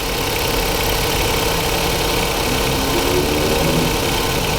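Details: 2015 Jaguar XF 2.0L four-cylinder with a dead misfire and flashing check engine light: a loud, busy idle with an uneven, lumpy undertone rather than a clean steady beat, pointing to one cylinder misfiring at idle.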